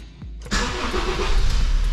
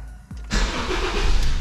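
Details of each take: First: 2008 Honda New Civic cranking: heavy, labored crank dragging as voltage sags from about 12.1 V to around 10 V and below under the starter; battery suspected faulty. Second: 2008 Honda New Civic starting on a newly fitted Moura battery: brief strong crank, catches and runs with a firm low rumble.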